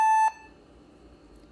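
One clean, fairly high beep lasting about a quarter second, then quiet; a normal power-on self-test pass.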